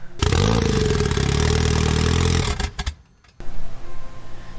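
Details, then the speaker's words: Goblin fitted with a replacement LSJ engine, first start after reassembly: fires and runs loud and ragged for about 2.5 seconds, then dies abruptly; slipped cam timing suspected, and one camshaft was later found not turning. "Didn't sound great. Nope. No! God, please, no! No! Neat. As expected. Huh. Are you excited? Yeah. So, we get to troubleshoot again. That sounds like timing."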